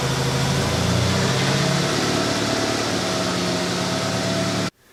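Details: 1996 Honda Accord after completed head gasket job, first run in about a month: steady, even low idle hum with no knocks or misses, then it cuts off; normal idle.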